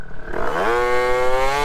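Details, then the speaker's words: Two-stroke scooter moped, hot engine, helmet cam, from about 10 mph: engine hangs flat half a second from low revs then climbs and smooths; bog off the line, owner suspects pipe or needs lighter clutch rollers. "you guys can probably hear the bog audibly and I don't know if it's just a characteristic of the pipe where like it needs a lighter uh roller in the clutch"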